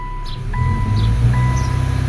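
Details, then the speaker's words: 2013 Subaru Impreza GJ, naturally aspirated FB16, stumbled under load from misfires (cylinders 3 and 4). Brake-torque test in drive with new coils: low engine drone holds steady, reverse chime repeating, no stumble or misfire, pulls smoothly. "in drive loaded excellent no hiccup nothing that was a sure thing with the previous coils"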